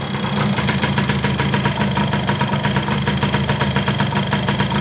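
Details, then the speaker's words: Yamaha F1ZR two-stroke before engine restoration, compression suspected weak and piston burnt: steady idle with a coarse, fast rumbling flutter heard from the front and middle of the engine; cause not yet found. "Suara kasar Seperti apa terjadi Hai nah ini sini bunyinya bagian depan sama Tengah teman-teman"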